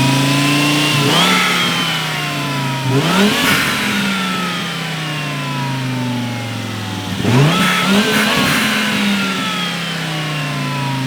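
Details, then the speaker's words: Big-turbo Volvo S60 after plugging the mass airflow sensor back in (vacuum/boost leak issue): starts cleanly and revs up and down crisply in several blips; sounds healthy, fixed. "it seemed fine on idle he revved it it started going to the moon it was bugged out i read it a couple times it sounded great it sounded like a stage three car does"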